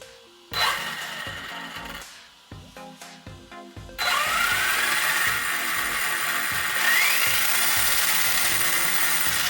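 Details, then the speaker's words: Arrma Outcast V3 RC car after a full tune-up and cleaning, on a test run: a few light clicks, then smooth motor whine rising as the wheels spin up, no grinding. Drivetrain sounds better, though some front wobble remains. "It definitely sounds better. However, I am still noticing some wobble up here in the front."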